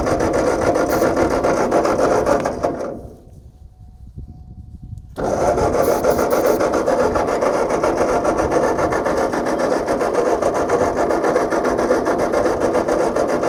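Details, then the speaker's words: Tractor with a rebuilt engine, fuel confirmed and switches on, cranked with a little throttle: even starter churn at about 3.5 turns a second, a pause, more cranking, never runs. Cranks but won't start; owner later suspects flooding. "come on babe got a little bit of that right there that almost wanted to go didn't it come on baby come on"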